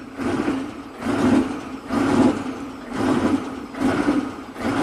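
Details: Chevy 6.5 turbo diesel truck after swapping in a used replacement PCM, jump-started, coolant reading 194F at start, no codes: revs climb and fall about once a second instead of idling; surging runaway idle, PCM not the cause.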